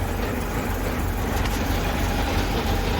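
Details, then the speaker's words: Engine with new plugs and wires, no longer smoking, temperature good, choke on: low, uneven loping idle with irregular pulses, barely holding on. The idle stop can nearly stall it and it dies when the choke opens; the cause is not confirmed. "Runs and it kind of sounds like it should. But if I put this very very temperamental thing down here, the idle stop... I can just about stop it in its tracks, and that's all with the choke on."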